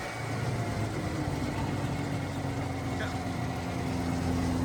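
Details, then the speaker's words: 1985 Yamaha XL-V 540 race-build sled, two-stroke, just run so warm, idle set a little high: steady even burble holding smooth and building slightly; quieter than owner wants but sounds good; normal running. "It's not nearly as loud as I almost want it to be, but it sounds good. I have the idle set a little high, but I just had it running."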